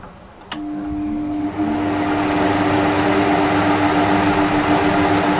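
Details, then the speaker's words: Trotec TTK 75 E dehumidifier: switches on and settles into a steady airy blower-fan rush with a constant hum, fan dominating and compressor barely audible; normal running. "This is the noise level from this guy. In all honesty, you can mostly hear only the fan. Blower type fans are noisier than standard type fans. You can almost not hear the compressor at all."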